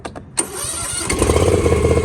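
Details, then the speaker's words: John Deere Z320M zero-turn mower that cranked but wouldn't start after sitting about a month; owner blames a clogged carburetor. After tapping the carburetor and pushing the choke fully up, a few cranking beats, then it catches into a steady, even putter. Normal start. "and then it turns on. So that's what happened."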